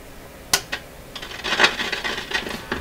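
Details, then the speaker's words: 1970 Japanese-built Strauss AM/FM tabletop radio with dead FM, on AM: irregular scratchy crackles and pops while the volume slider is worked; the slider is likely lifted off its track by dirt, opening the circuit. "probably from the volume control slider being off and lifted lifted by dirt uh-huh that basically opens the circuit turns it into an antenna"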